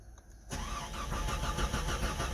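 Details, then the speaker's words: Jeep Comanche after reconnecting wires found pinched behind the bumper: fuel pump hum, rhythmic cranking that catches and builds into an even running note; starts properly. "come on baby come on oh she tried there we go he's a runner"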